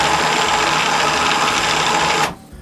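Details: WARN 2000 winch wired with remote receiver and solenoid, run paying out on the remote; steady high electric whir, smooth and even, then stops cleanly; sounds healthy.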